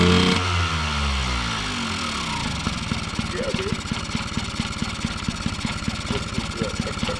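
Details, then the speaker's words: 1979 Yamaha QT50 abandoned 35 years, first kick start after a new battery and carburetor; engine catches, revs briefly, then settles into an even popping idle of about three to four beats a second; normal idle. "boom baby we did it she runs"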